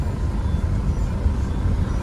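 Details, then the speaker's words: Peugeot 407 road test after front suspension repair with new bushings and replaced shock-absorber mounts (owner had complained of noise): steady low road rumble, no clunks or knocks, suspension quiet; original shocks kept, somewhat stiff but not leaking. "Sini aman sih suaranya, nggak ada bunyi tuh."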